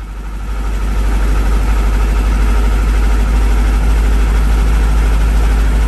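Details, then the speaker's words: Carbureted engine with twin Webers and electric fuel pump, cold start after a couple of days sitting, with Coke-and-salt-cleaned used spark plugs refitted: steady low idle with fairly even lumpy pulse, no misses or knocks; running normally. "There we go, there we go. Now that is a cold start. That's probably a couple days of sitting."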